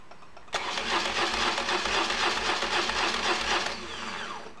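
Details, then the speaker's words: BMW oilhead after replacing a flywheel damaged by a misaligned starter (missing alignment pin). Test start heard close up: clean, even cranking about four beats a second with no clash, grind or screech. Normal starter cranking. "no clashing no grinding no screeching or grading or anything like that even this close and that's what we're after"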